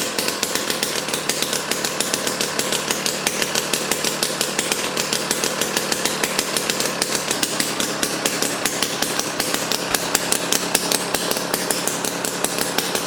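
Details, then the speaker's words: Jiffy Stealth STX 10-inch ice auger, 3 hp Tecumseh two-stroke, after fresh 91 non-ethanol fuel, started on choke: loud crisp buzz with rapid even firing held steady, no misses; running good. "all right so the jiffy here is running good i mean we put fresh fuel in it and then it was popping off and definitely very loud"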